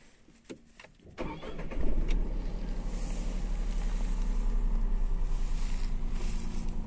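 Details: Tata Tiago three-cylinder engine, shown for vibration: short crank, quick catch, then even slightly lumpy three-cylinder idle pulse; normal running.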